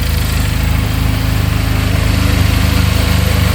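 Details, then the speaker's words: 2022 Benelli motorcycle started with tank fuel: fired instantly, idling at 1700 rpm, steady even low thump about three pulses a second, no top-end knocking or tapping, bottom end sounds good; normal idle. "Fired up instantly. Look at that. Idling at 1700 RPM. No knocking in the top end. Bottom end sounds good."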